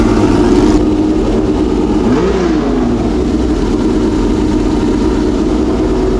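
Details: Homemade V12 race engine in a race car, first start after months of storage: deep, even idle, then a quick throttle blip that rises and falls cleanly with no misfire.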